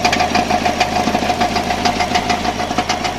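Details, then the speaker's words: Subaru engine at idle, transmission replaced 4 months earlier: loud, sharp metallic knocks about three per second that change when the crankshaft is pressed; crankshaft end play is suspected, not confirmed, and a contract engine has been ordered. "Вот при работающем моторе давили на коленвал по возможности. И звук менялся. Такое ощущение, что люфт коленвала."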